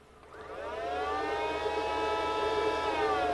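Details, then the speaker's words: Mercedes GL450 with a leaking air spring: air suspension compressor below the headlight, switched on by scan tool, gives a steady motor whine, so the wiring is good, though the pump could still be weak. Compressor running normally. "now since we can hear the pump running this tells us that the wiing to the pump is good now the pump running does not mean it's building enough air pressure we could still have a weak pump"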